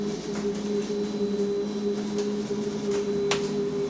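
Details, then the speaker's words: Go Ahead London electric bus on route B16 heard from the cabin: steady low whine with a higher tone above, unchanging in pitch; passenger alarmed by the abnormal drive noise, cause undetermined. "No, I might have to get off cuz the [ __ ] is that noise? I don't want no electric bus blowing up on me, bro."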